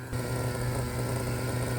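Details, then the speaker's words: Used Traxxas T-Maxx nitro RC truck, engine opened and inspected: steady even buzzing idle without sputter; normal idle, though it previously cut out lean-bogging at about 280° when hot. "So you can see it idles. Sounds like a good one."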